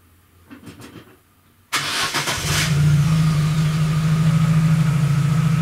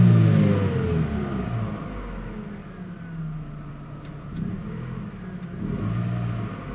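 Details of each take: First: Chevrolet Aveo at idle, mic about 50 cm from muffler, after catalytic converter replaced by a spacer pipe: engine fires and settles into a deep, steady drone, louder and boomier than stock. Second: Chevrolet Aveo, before catalytic converter swap to spacer: deep even exhaust note rises cleanly with each rev and settles smoothly, no rattle or blowing; normal stock exhaust with catalytic converter.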